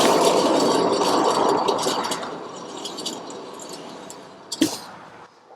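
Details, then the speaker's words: Hand-spun front truck wheel with no perceptible play when rocked: a rough, gritty rush that fades as it coasts, ending in a clink; noticeably noisier than the other side; a failing wheel bearing is suspected, not confirmed. "so now we will spin the tire and listen there's considerably more noise on this one"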